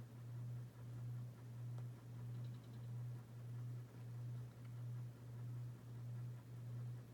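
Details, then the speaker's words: Dynasty 52-inch hugger ceiling fan CF-HA52 from January 1988 on medium speed, its worst of three speeds for wobble and hum. Low hum swells and dips about 1.5 times a second. "definitely move this into our medium and it does wobble more meeting them out of the three speeds in a hums the most on the first a medium"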